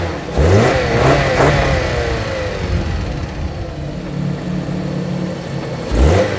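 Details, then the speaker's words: 2014 Jeep Patriot 2.4 after throttle body replacement for limp mode (lightning bolt, U0401 communication code, wouldn't rev): engine starts, revs cleanly, settles to steady idle; throttle restored, communication light off, check engine light still on; normal start, rev and idle. "Listen to that baby purr. All right, so there it is. It's done. As you can hear, I have throttle again."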